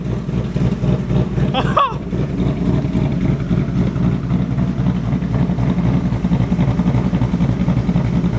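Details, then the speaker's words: 2023 Mustang GT V8 on a Lund tune with stock headers and exhaust, idle dropping from about 1,000 rpm: a deep, uneven loping chop that the owner says sounds like misfiring. It is the deliberate rough idle of the cam tune. "Honestly, I don't know if I like it with the stock headers. It sounds like it's misfiring."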